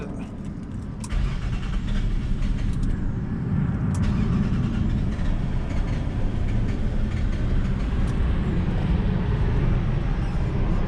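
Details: 2001 Nissan Maxima 3.0L V6 (VQ30DE) after sitting a few minutes: long steady churning crank with good fuel pressure, weak catch, barely runs until throttle held; hard start from fuel leaking down, regulator and injector flooding intake.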